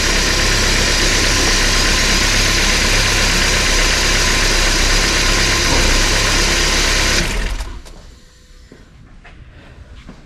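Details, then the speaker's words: 1993 Porsche 968 3.0 L engine (right-hand drive, UK), restarted with the belts off and distributor cap refitted: smooth, even idle with no chatter, then shut off. The noise was likely the belt catching the gears; cam belt job needed. "well that's definitely a lot quiet huh I'm pretty sure that noise was this belt catching the geers every time it went"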